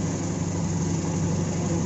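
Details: AEFE 92 engine after hard-starting problem was fixed; smooth, even low idle with steady hum and no misses, knocks or stumbles; normal idle.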